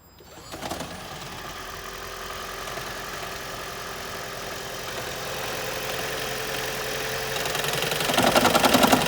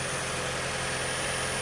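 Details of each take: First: 2012 Toyota Prius, 174,583 miles, cold start with check engine light, code P0301: petrol engine fires up then loud regular knock about three to four raps a second before smoothing; cylinder 1 misfire, owner suspects fuel injectors, plugs thirty thousand miles old. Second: 2012 Toyota Prius, first cold start of the morning, which usually brings knocking, after a cylinder 1 misfire (P0301), new ignition coils and intake manifold/EGR cleaning: steady smooth idle, no knock and no check engine light; fixed.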